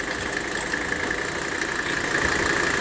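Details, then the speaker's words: W126 Mercedes 300SD diesel idling with the AC on. A steady high squeal holds at one pitch: the AC compressor belt is slipping, proven with the water-on-pulley test. "just proved the problem we just proved that the problem is with the belt"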